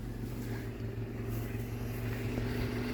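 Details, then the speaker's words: 1996 Toyota Hilux Surf SSR-X, 3RZ 2.7 L four-cylinder, hood open: steady, even low idle with a smooth regular pulse and no knocks or ticks; running cleanly. "motor Pur like a kitten as a Toyota should"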